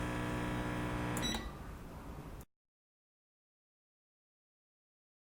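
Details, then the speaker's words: 3D sublimation machine finishing a timed cycle on a 3-layer mug in a vacuum mold: even machine hum cuts off with a brief high beep, then quiet; normal cycle-complete beep. "the time is over, we can hear the beep of the machine. Here it goes."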